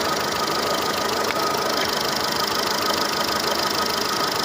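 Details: Seat Ibiza 6L 1.4 petrol with the engine light on, idling rough and unevenly with a stumbling beat and hiss, running on three cylinders with bangs from the exhaust; a coil-pull test points to a misfire on cylinder four.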